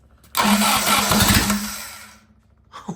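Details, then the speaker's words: Willys F134 engine, sat for years, with an electric fuel pump and timing set by hand: the starter whirs and the engine churns unevenly about two seconds without catching, then dies. It is flooded, with fuel overflowing out the carburetor top. "Well, you're dumping fuel. You're going to flood it. Okay. Yeah, it's flown right out the top of it. Okay. Well, that's probably too much fuel."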